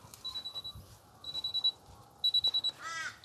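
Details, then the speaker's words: Miele T8929 WP heat pump clothes dryer, a discarded unit run with little or no washing in it: groups of short, sharp high beeps about once a second after the drum stops, an "adjust the load" error. The owner plans to retry with a full wet load. "adjust the load okay i think we're gonna have to put some wet washing in and see if that makes a difference"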